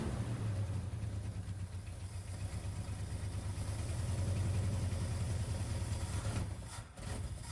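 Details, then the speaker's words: 1979 Ford F150 during a carburetor rebuild and tune-up, first start after an oil change: low, uneven, loping idle as the carb floods. The floats were hanging up, so gas backed up through the vent ports; the float height later had to be set. "so the carb is overflowing uh the floats were getting hung up which is causing the gas to back up through these vent ports"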